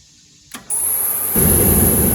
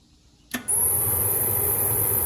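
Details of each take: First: Hot water pressure washer burner, after the fuel mist returned (suspected lost prime), is quiet, then clicks, hisses, and catches with a firm low roar; it lights cleanly and the new igniter shuts off after lighting, working as it should. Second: Hot water pressure washer with a newly installed timer and igniter: the motor runs and the pump pumps, and the burner fan hums under a sharp igniter buzz, but it never lights and no fuel mist sprays; cause unknown.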